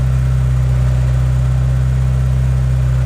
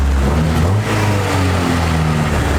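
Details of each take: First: EK Honda Civic with Y7 block and Y8 head swap, cold start: steady, fast, even hum with no hunting, idling too high; owner had adjusted the idle screw, vacuum leaks also suspected, unconfirmed; high idle. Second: Honda EK Civic with broken plug wire boots, possible vacuum leaks and missing primary O2 sensor: engine rises and settles cleanly with each throttle blip, deep even note, no misses; throttle response good.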